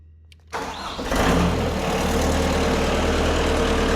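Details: Stump grinder engine after motor install, with the pump-to-plug wiring temporarily rigged: quick crank, then it catches and settles into a steady, even idle with no knocks or misses; runs great, though the blade won't swing (safety switch suspected).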